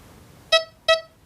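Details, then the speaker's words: XP metal detector in 3-tone mode over a Victorian copper and a hammered silver coin: two short clean beeps, high tone for the copper and low tone for the silver; normal coin responses, while 2-tone mode gives the same tone. "Normal 3 tones, high tone, low tone. High tone for the copper, low tone for the silver."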